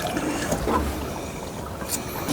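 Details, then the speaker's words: LG washing machine being diagnosed for IE water-inlet error: steady trickling rush of water into the drum with no valve chatter or buzz, inlet valve opening and filling normally. "अब देखें पानी जो है वो मुसलसल आना शुरू हो गया है।"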